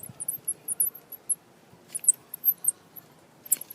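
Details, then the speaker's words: Original alternator removed from a 2003 GMC Sierra SLE with the 4.8 L engine, turned by hand off the truck: thin, high chirping squeaks inside, with no play in the pulley. The owner thinks the alternator has failed. "and you can listen to this in here it's squeaking there's no play in the pulley so I think the um"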